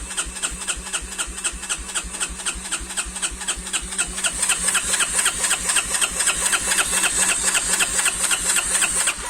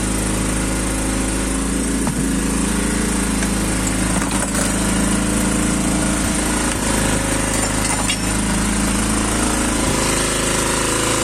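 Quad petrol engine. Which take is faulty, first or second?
second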